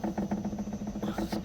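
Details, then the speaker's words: Mercedes W222 Maybach on a shaker-stand (vibrostand) suspension test: quick, even knocks about seven a second over a low steady hum as the car is shaken, a worn right-side stabilizer (sway bar) link rattling. "Грохот слышим. А что это у нас за грохот? Опять косточка."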